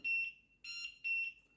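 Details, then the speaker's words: LED digital large wall clock (about 70 x 16 cm) alarm A1 sounding from its built-in speaker after a 1-minute wait: loud high-pitched half-second beeps about every 0.6 seconds, steady pattern; working normally. "I think the sound is very loud. Definitely you will hear the sound."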